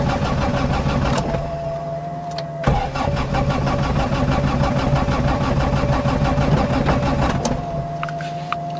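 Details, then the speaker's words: 1991 Honda Civic EF, B18 swap, started after sitting a while with a wet ECU and a suspected bearing or transmission problem. Long fast cranking with starter whine; it stumbles, half-catches and dies back before firing. The owner suspects the wet ECU. "Still got a battery, that's good. Spoke too soon. There we go. You know what that's about, but let's see. Something is messed up."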